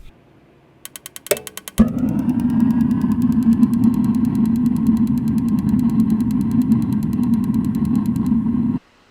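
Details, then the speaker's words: Direct-ignition RV water heater after fixing a no-spark fault: flipping the switch runs a cycle, the igniter ticks dryly, then the burner catches with a soft whoosh and holds a steady, even roar, lighting normally. "you flip it and then it's going to go through a cycle and you should be able to after a few seconds hear it click"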